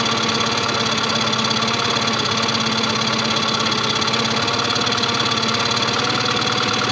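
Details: 2001 Yamaha 15hp four-stroke short-shaft outboard, sat in a barn 5 years, after service: even, steady idle with a bright mechanical buzz and consistent pulse while idle mixture and speed screws are set by ear; runs cleanly.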